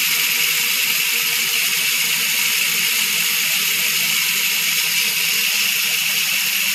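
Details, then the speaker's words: Trail Mech rear hub (Ukraine made, 60 points of engagement) after about 6–8 months use, coasting: loud, dense high-pitched buzzing click, smooth and even, no gritty patches; healthy freehub pawls. "Okay guys, pakinggan natin ngayon ang tunog ng trail mech hub after 6 months na nagamit natin. Tingnan natin ngayon siya kung gaano pa rin kaingay ang trail mech."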